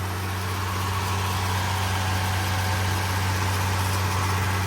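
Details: Ford Ranger started after sitting untouched since about Thanksgiving through a rough winter, 70°F in Massachusetts; it smells of gas after a full pedal press. Smooth, even idle drone with no knocks, ticks or rattles; normal idle.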